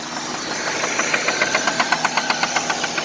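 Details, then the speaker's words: 1999 Nissan Altima at idle, with sharp, even, deep and loud knocks about four per second from inside the engine, presented as rod knock as opposed to light valvetrain tick; engine knock at idle. "usually with valve train it just you have a light knock up top and usually goes with a little sound you know but this is definitely a rock very deep very loud"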